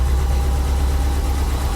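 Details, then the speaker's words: Subaru STI, 5,300 miles on engine, on lift after transmission work and exhaust install: steady even low idle rumble, no knocks or misses, light background injector tick; healthy engine. "Nothing crazy. Got normal injector tick. Got a little bit of buildup in there, so like, sounds good, runs good."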